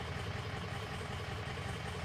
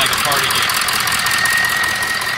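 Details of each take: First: 2003 Ford F350 6.0 diesel with hard start/stall: lumpy loping idle, rough clatter, miss worsening as cylinder 3 drops out; combustion gas entering fuel past failing injector sealing washer, often from injectors installed without proper torque. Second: 2003 Ford F350 6.0 diesel after replacing the number one injector (combustion gases had been entering the fuel, causing rough running and stalling): steady, even idle with faint high squeal, no misfire or stumble; normal idle, road test still pending.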